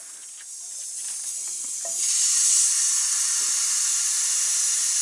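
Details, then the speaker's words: Truck air system: constant sharp hissing that swells then holds steady at a quick-disconnect fitting on the main air line up in the front bumper. Second leak found, to be fixed by removing the quick disconnect. "I have found a second link this is up in the front end up in the bumper and it's another quick disconnect it's pretty much a mainline"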